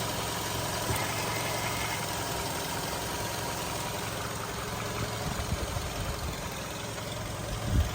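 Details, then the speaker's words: 2008 VW Golf 5 1.6 MPI, LPG/petrol, 167,000 km, just switched to gas, timing belt changed at 126,000 km: quiet, even, steady idle with a soft low rumble, no misfire or smoke; normal idle. "Мотор працює тихо рівно не троїть не димить компресія есть несінить"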